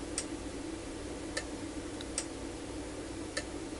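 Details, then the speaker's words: UNI-T UDP3305S programmable linear power supply in sequence mode, output cycling between 0 V and 10 V at 1-second intervals: sharp relay clicks about once a second over a faint hum; normal operation. "let's do start up again and you can see that now we're oscillating between 0 volts and 10 volts with an interval of 1"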